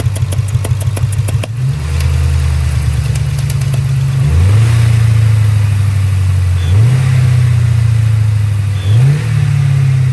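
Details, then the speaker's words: 2002 Ford Mustang GT 4.6 2V V8 at idle: sharp, quick engine tick that disappears the moment it's given gas; owner first suspected a spark plug about to blow out. "And from the video that y'all just watched, you could hear the engine ticking pretty good at idle. But the second you give it gas, that tick goes away."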